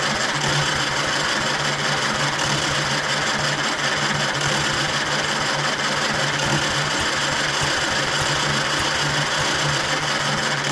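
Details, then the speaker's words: 1935 Austin 7 cranking at full throttle, no choke, on a freshly charged 12 V battery: fast even starter churning with faint uneven catches, trying to fire but never running; fuel reaches the exhaust manifold, little compression back pressure felt, battery running down. "fire m did you hear it was beginning to go there a little bit beginning beginning but we're going to run out of battery"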